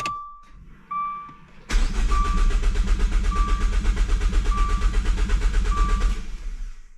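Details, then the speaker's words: Dodge Dart (turbo build, new Tork MultiAir springs and Deyeme Racing mount), fuel injectors cut by flooring throttle, clutch in: even starter cranking at steady rhythm for about four seconds with chime, never catches; normal cranking without start. "The car isn't going to start, but we'll crank it for a couple seconds, and then we'll go ahead and kind of repeat the process here."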